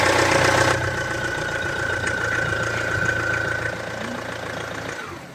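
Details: Renault Trafic 2.5 dCi diesel van idling evenly with a steady faint whine on top, no rattle, then fading out. Normal idle; this van's loud metallic rattle was traced to a failing crankshaft pulley (harmonic balancer).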